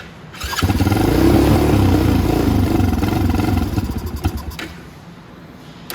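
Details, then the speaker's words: Venom X20 motorcycle with Nibbi carburettor, just cleaned and reinstalled, choke on, no gas in the tank: repeated cranking chug around three to four beats a second that never catches; no fuel reaching the carb, no start. "I don't think any gas is getting in there yet. Yeah, it'll be tough because there's no gas in the bike. So yeah, I understand why it's not running now."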